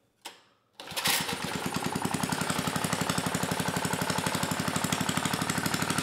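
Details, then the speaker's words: 1980s Troy-Bilt Junior tiller, 3 hp Tecumseh HS35, after cleaning the carburetor, throttle about halfway: settles into a crisp even single-cylinder beat, no misses or hunting; runs great. "pretty good e e e e yeah it's amazing the difference a clean car makes it took a few poles to start but once it started it ran great"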